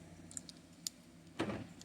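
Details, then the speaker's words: 2013 BMW E70 X5: a few sharp lock clicks and short actuator thunks with no one touching the car, driver's side only; door locks cycling on their own due to a faulty key. "so right away so I'm still putting this together and it's going crazy now again the thing that kills me it's just on the driver's side"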